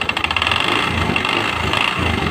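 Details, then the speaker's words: Honda Spacy scooter, earlier serviced elsewhere with new con rod and bearing yet still very rough: harsh uneven rattling clatter at idle from flywheel/magnet cooling fan side; crankshaft bearing and rod fine. "ya Oke suara sangat kasar sekali ya eah tapi sumber suara ada di"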